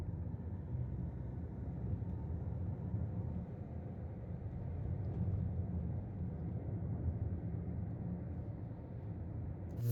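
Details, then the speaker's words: Toyota Premio petrol engine on a drive after the misfire, high fuel use and RPM drop were fixed: a steady, even low rumble with no stumbles, smooth and pulling full RPM. "को drive किया है गाड़ी की driving बहुत अच्छी हो गई है गाड़ी स्मूथ हो गया आरपीएफ फुल ले रही है"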